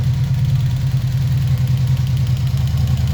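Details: 1986 Honda VF700C V4 idling warm at about 1300 rpm on centre stand, after valve adjustment and cleaned, reinstalled carbs: uneven pulsing low thump from the rear cylinders; cause unknown.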